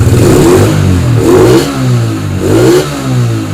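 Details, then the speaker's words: Yamaha Spark 135 carburettor auto-clutch motorcycle, upgraded to a 60 mm ceramic cylinder, modified head, new clutch plates, exhaust repacked: three crisp revs, clean even response with noticeable intake hiss from a bare stainless filter box; healthy. "เสียงดีครับทั้งดูดทั้งพ่นนะครับเสียงดูดก็มีเสียงหน่อยเพราะว่าใส่กล่องเปลือยสแตนเลสแต่กรองสแตนเลสแล้วก็เอากรองเอากรองเดิมครอบไว้เพื่อกันน้ำนะครับกันน้ำ"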